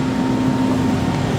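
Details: 2007 Carrier Performance 93 gas furnace, 120,000 BTU input, model 58MTB, blower running in cool mode with 4-ton Carrier coil: heavy steady rumble and droning low hum, obnoxiously loud, heard throughout the house, cause not evident.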